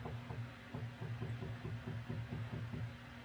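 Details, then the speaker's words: Jaguar MKII after full reassembly, ignition switched on before first start: light, quick, steady ticking of about six beats a second as the electric fuel pumps prime normally, then stop. "So first we turn the ignition on and you hear the pumps."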